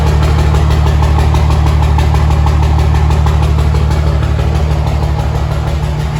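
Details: 2005 Cummins 24v common-rail diesel, about 8-year-old 100-over injectors, 6680 Silver Bullet turbo and Air Dog pump: steady idle with rhythmic low thump and slight unevenness, a faint miss at idle; some white haze and a valve-train chirp also noted.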